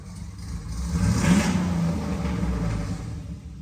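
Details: Dad's Jeep with bigger cam and custom tune, back from tuner, after reconnecting a dangling unplugged connector blamed for a miss: short partial-throttle rev picks up smoothly and settles without stumbling or dying.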